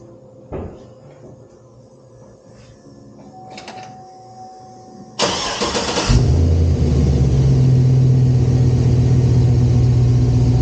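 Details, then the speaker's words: Chevrolet SS Intimidator (Dale Earnhardt edition) after fitting a part and angling it away from the knuckle: starter turns, engine catches and settles into smooth steady running with a few clean revs, no knocks or rattles; earlier noise fixed. "sounds like that's fixed it."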